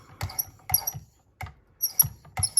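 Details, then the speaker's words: Benchmade knife on Work Sharp Precision Adjust, ceramic stone with very light pressure polishing: strokes about every half second with thin high squeak, squealing signals edge almost finished; normal. "And once it starts making that noise, this squealing noise, I know it's terribly annoying, but that's how you know that it's almost."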